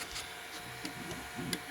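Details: Tronxy XY-2 Pro 2E dual-extruder 3D printer: steady hum with sharp uneven clicks and short scraping bursts from one extruder, seemingly during Z-hop, while the other is quiet. Abnormal extruder noise.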